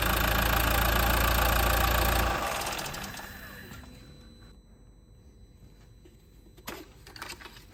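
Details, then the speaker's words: 2015 Mercedes A180 1.5 CDI diesel, Renault K9KF452 engine, on a ramp: steady even idle clatter for a few seconds after fresh 0W30 oil and new filter, then switched off and winding down; healthy. "It's just had that running there just for a few seconds. It's about 10-15 seconds really is ideal, just to get it pumped around quick."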